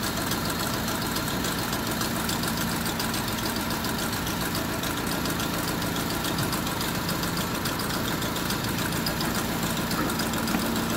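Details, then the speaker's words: Honda City/Civic FD petrol engine idling unevenly with irregular stumble and knock, check engine light on with ignition coil primary circuit code; misfire traced to one faulty ignition coil. "Okay sira yung isang ignition coil try muna natin to"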